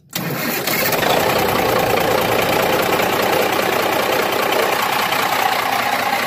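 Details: M939-series military truck (NHC250 or 8.3L Cummins diesel) with a no-power/no-start fault from a bad power control box. It is started by jumping the starter terminals to bypass the box, with the fuel shutoff open. Brief crank, then it catches at once and runs evenly.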